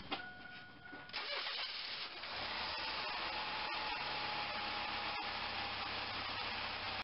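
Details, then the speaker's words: 2.4L Quad Four Pontiac Grand Am, after replacing crankshaft position sensor for crank-no-start: starter cranks briefly, engine catches cleanly and settles into smooth, even idle with no misses or odd noises; back in business. "looks like we're back in business"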